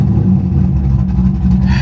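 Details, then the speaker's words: V8 with no cold air intake: loud, lumpy loping rumble, jerky and rough at low revs, cleaning right up as a little throttle comes on; sounds cam-like, cause unknown. "the car is jerky but as soon as you get a little throttle it cleans right up"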